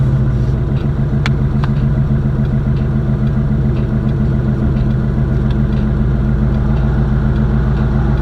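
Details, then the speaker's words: Box Chevy Caprice Classic with small block V8 and loud exhaust, idling and driving on a test ride to check transmission shifting; deep, even rumble with steady firing beat, no knocks or misses; sounds great but owner finds it very slow; normal running. "but the car sound good sound really good I love the way it sound I just hate how slow it is even at idle this car sounds so good"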